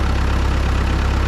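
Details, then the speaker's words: Ford 9N tractor, cold, just started with the throttle slightly up from idle, in neutral with the clutch in: deep, steady low rumble with an even beat and no misses or knocks; idles smoothly. "Clutch is in. Here we go. Nice, starts right up."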